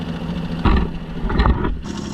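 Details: 1965 Jeep Wagoneer, original 3.8 L 230 cu in overhead-cam carbureted engine, first run after 20 years sitting, after setting valves: short steady low idle with brief blips, firing evenly; normal idle.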